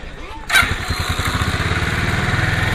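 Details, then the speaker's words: Roketa MC-54 250 cc water-cooled scooter running, front brake held: steady, fast, clunky low thumping from the rear gearbox; owner suspects spun bearing or bushing. "there's a noise coming out of this rear end of this bike and I think it's the gear boxes got a spun Baron or a dumping"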